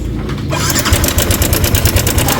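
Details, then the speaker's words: Sniper 155 motorcycle at 19,866 km, running, with fast busy metallic clatter every revolution from the worn stock cam chain tensioner; the mechanic is certain, and it is to be replaced with a manual tensioner. "So 100% to tensioner yan pag ganyan yung tunog. Iba kasi yung tunog ng sirang ibang part kumpara sa tensioner. Pag mga tensioner, ganun yung tunog niya."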